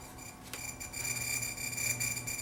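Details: NAD T-762 receiver, intermittent sound cutting out when warm on CD input: audio drops leaving thin scratchy hiss with steady high whistles.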